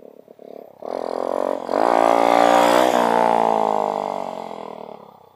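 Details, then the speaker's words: Dax 125 Spigaou with new stock-style stainless exhaust and new intake manifold, after an oil change: small single revs smoothly into a loud rasping note, holds, fades; louder than the old pipe but bearable, main jet to lower, idle to raise. "Bon, ça fait un peu, ça fait plus de bruit que l'autre. Mais là, tu vois, sans casque, c'est quand même assez supportable. J'en connais qui font plus de bruit que ça."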